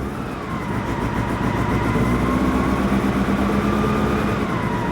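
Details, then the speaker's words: Citroen GSA air-cooled flat-four, first start after a long lay-up: uneven, lumpy running with a wavering whine as only some cylinders fire, then it seems to catch on all; HT leads heard arcing and due for replacement; misfire. "that's some of the cylinders jezelle oh that sounds like we might have got all of them"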